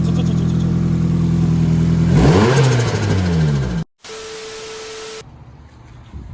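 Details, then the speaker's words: Nissan SR20, after tightening a leaking joint: revs up, then rapid fluttering chatter on throttle lift as revs fall – turbo compressor surge. "Oh, now there's compressor surge. You hear it?"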